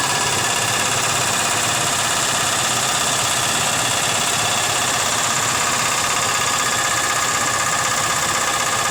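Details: Nissan Z32 engine after work: fast light tick over steady idle about three per second; slight tick after work that had quieted now louder; owner unsure if rod knock or bad lifters.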